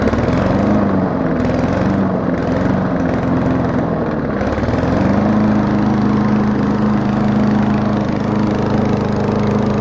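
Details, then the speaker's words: Old lawnmower, smallest engine, muffler internals removed into a bare expansion chamber, throttle spring bent for more throttle: fast, steady, raspy drone with a sharp exhaust bark, especially loud. "because like I said, lawnmowers are loud in general, but this one's especially loud."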